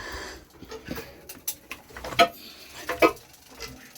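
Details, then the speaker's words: JP2 boat engine, cold in December after three months unused, oil cold, in neutral and turned slowly by hand with good compression: a couple of sharp light clacks about a second apart; a valve sticking slightly, holding cylinder pressure before opening. "Hear them funny little clacks. And that's the valve sticking a little. So there's a bit of pressure in the cylinder before it opens."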